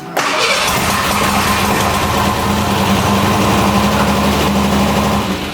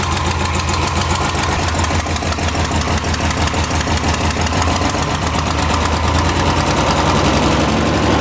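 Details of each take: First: Square-body Ford Ranger engine reassembled with new heads (fitted to fix a coolant-in-oil issue), an early start attempt: it catches and runs loud and ragged with an uneven beat that never settles. Rough running, blamed on distributor timing. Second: Square-body Ford Ranger engine with new heads, after the distributor was readjusted: a steady, even low idle with no misses or knocking, said to be the nicest it has idled since 1987. Normal idle.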